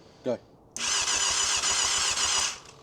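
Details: 1998 Yamaha YZF600R Thundercat left sitting since 2013, with a new battery, gravity-fed fuel, serviced carbs, and fresh oil and coolant: about two seconds of steady starter whirr with a faint pulsing beat. The engine turns over and is not seized, but never fires.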